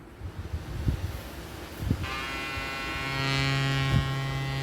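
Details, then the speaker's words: Sound Bridge SB-3500 DP amplifier, cover and driver board open, on a small test speaker. After a few clicks, a steady low buzz with a bright edge: a factory fault in the driver board, traced to its 2200 µF capacitors. "Sound వస్తుంది, విన్నారా? ఈ sound పోవాలంటే friends actually ఏంటంటే ఇది మ్యానుఫ్యాక్చరింగ్లోనే complaint ఉంది."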